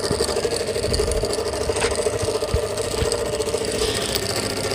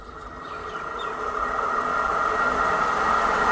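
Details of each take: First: Pedestal stand fan brought in by a customer for very loud noise: a loud, steady rattling drone with occasional ticks over the fan hum; the motor bearing has worked loose in its seat. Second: Pedestal stand fan that a customer brought in for loud noise, running after a repair that fixed it without replacing the bearing: a steady, even whir that swells slightly on spin-up, with no knock or rattle and no noise; normal running.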